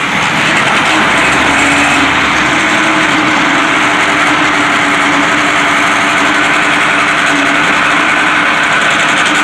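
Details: White 4-175 tractor, first start after rear main frame repairs, after priming. Catches and holds a steady, even run with no knocks or misses; a loose three-point hitch cylinder hose sprayed hydraulic fluid. Normal running.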